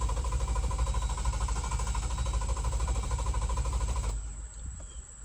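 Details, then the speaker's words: 2018 Jeep Wrangler JL Sahara 3.6L V6 4WD: even starter churn about three turns a second for four seconds, never catching; crank no start. "All right, so as you can see, it was simply just cranking. Once you hit the start button, it would just and you would have to, essentially turn it off to, get the starter to stop engaging."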